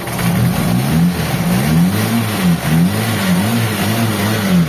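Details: Mitsubishi Lancer EL after service (carb cleaned, new radiator, water pump and tensioner bearing), cold-start device not working: engine revs up and down smoothly, following the throttle with no knock or misfire; runs healthy.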